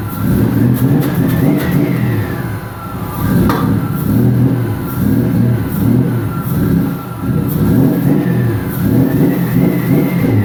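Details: 1999 Nissan Frontier SE, turbocharged VG33E, newly built and run briefly without coolant after leaning the mixture toward 14 AFR: revs rise and fall cleanly and settle evenly, with no knocks or misses. Healthy running.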